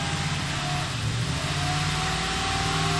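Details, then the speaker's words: 2010 Toyota Tundra 4x4, 1UR-FE 4.6L V8, 227,000 miles, cold start after throttle body cleaning, AC off: steady high idle with constant electric whine over engine hum from secondary air injection pumps running; idle expected to drop gradually. "you can hear this complication with this engine that that's secondary air injection pumps are running so it's even bigger mess than on the older vehicle"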